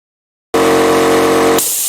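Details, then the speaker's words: Air compressor with a new pressure switch that restarts at 0.55 MPa and builds to about 0.9 MPa: motor drones, cuts out sharply, then an airy hiss follows at once as the relief valve opens at maximum pressure. "But the pressure relief valve opens at max pressure. It makes compressor busy."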